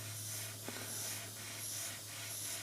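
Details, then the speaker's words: Airbrush spraying thinned paint at dropped, low pressure onto paper: a soft, steady, even hiss of fine spray with no spitting or sputter; clean, normal atomization. "how light that is how nice atomized it is on that paper so when you go up now with this brush now you can see why thinning your paint down and running low pressure is very nice to work with"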